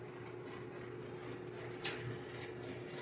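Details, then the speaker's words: General Electric gas clothes dryer after repairing the drum that squealed loudly under load, drum pressed down by hand to simulate weight: quiet steady low hum with one light click, no squeal or scraping; drum now runs smoothly. "porque ya no se está corriendo perfectamente bien el tambor"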